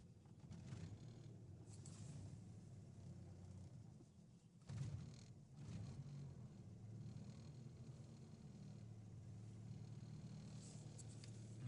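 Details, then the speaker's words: Engine barely holds idle, sagging nearly to stall then surging and wandering; exhaust smells, runs like a tractor as if one cylinder is dead. Owner plans to check first cylinder and wiring harness near battery; also losing antifreeze. Unstable idle, engine hunting. "doesn't want to keep up the momentum. Trying to stall."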